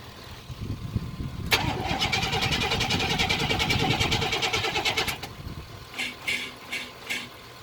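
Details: 1999 Chevy Tahoe that won't start: starter churns steadily at about three beats a second for roughly four seconds, then stops without the engine ever catching; crank, no start.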